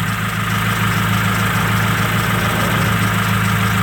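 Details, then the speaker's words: 1995 Nissan D21 Hardbody, first start after winter storage, idling; heard through a screwdriver on injector one, which ticks about three per second, louder than the other injectors; owner suspects injector one is failing, not confirmed. "that ticking set up right here I got the screwdriver on it and you can hear it that's pretty loud compared to the others I wonder if ejector one is taking the on me"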